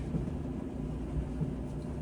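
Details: Whirlpool dryer YWED4850HW0 after replacing the faulty start switch, restarted: a steady low rumble and hum of the drum turning, even throughout with no knocks or squeals, running normally.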